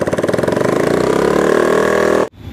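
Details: Bajaj Pulsar AS 150 motorcycle, engine previously rebuilt: rapid rough pulsing beat with harsh grinding rasp over idle, like a mixer machine; teardown finds jammed bearing and worn internals, clutch assembly needing replacement.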